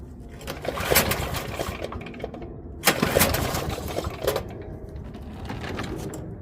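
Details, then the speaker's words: Toro 5.5hp self-propelled mower, started with choke, then set to full-run throttle for an extended run. The small single-cylinder holds a steady, busy drone without dropping out, surging or stumbling, so it is running normally. "I'll leave it at full run. I'm guessing right about there. So it should sound like it's stumbling a little bit, but it's not."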